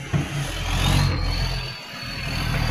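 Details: Diesel truck with a massive exhaust leak: deep, loud, raw unmuffled rumble that swells as the engine revs.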